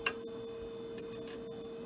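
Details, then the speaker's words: AT&T Globalyst 630 PC at power-up: faint sharp ticks about every quarter second over a steady electrical hum; the original hard drive is clicking and likely failing. "Got ourselves the clickers, ladies and gentlemen."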